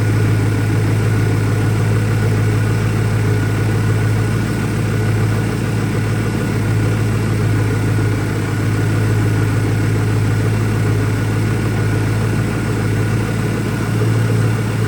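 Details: 2001 Ford Mustang Cobra, warm idle with a low, lumpy pulse that keeps wavering instead of settling; new Bosch plugs fitted, owner asks about possible vacuum leaks, rough idle cause unknown.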